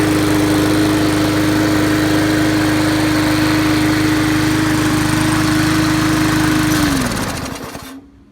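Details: 2012 Murray 20-inch push mower, Briggs & Stratton 300 series classic engine, after carb cleaning, linkage fix, tank cleaning and used diaphragm, running without air filter: steady even buzz about seven seconds, then winds down; runs healthy.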